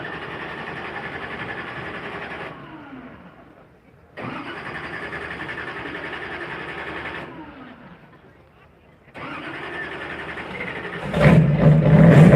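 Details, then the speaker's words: Lotus Type 66 race engine being primed before firing, so the starter runs twice: two long cranks without firing, then it catches and roars into a loud, healthy idle; normal start-up. "we are going to Prime the race engine on this car which means it sounds like it's going to be starting twice but that's all we're doing we're just going to prime it and then we're going to fire it"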